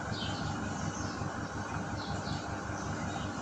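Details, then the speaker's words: WOSON autoclave running its cycle: low steady motor rumble with soft pulsing as the vacuum pump draws air from the chamber, normal operation; chamber then near 128 °C at pressure reading 171, still heating. "Vous entendez bien le grondement du moteur quand il aspire. Donc ce petit bruit que vous entendez, c'est le moteur qui aspire."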